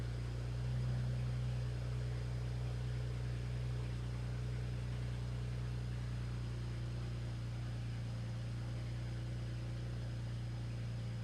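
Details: BMW at idle after fresh spark plugs, cleared faults and a restart: low, lumpy idle pulsing about three times a second. The cylinder 1 misfire persists and came back on the same cylinder after the earlier coil swap, so plugs are ruled out and injectors are suspected next.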